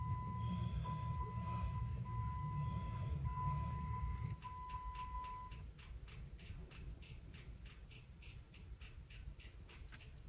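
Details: 2015 Jeep in Las Vegas heat: warning chime then fast even clicking with no cranking; the OEM sealed battery is too weak to turn the engine.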